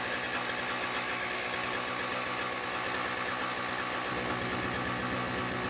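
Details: Toro CCR2000 single-stage snowblower, 4.5hp Suzuki two-stroke with Mikuni carb, after carb cleaning, primed, choke open: starts and pops along at a steady even idle with no misses or stumbles.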